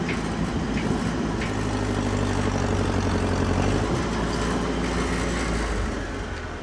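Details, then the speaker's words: Four-cylinder tractor at governed full throttle, about 1800 rpm, shown as reference for the Ford 8N flathead six: deep, steady roar holding speed without hunting; normal full-throttle running. "so yeah it's a 4cylinder one but 1,800 RPM is 1800 RPM so that's full throttle and that's what our little six-cylinder buddy over here is supposed to sound"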